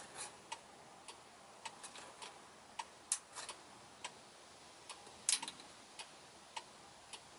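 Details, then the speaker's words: Left turn signal switched on with a newly fitted on-off-on toggle switch: an unexplained short keeps triggering the flasher relay, heard as sharp, light ticks about twice a second in an uneven, stuttering rhythm in a quiet room. "Now I still have that weird short that's causing the relay to still trigger, but if you listen,"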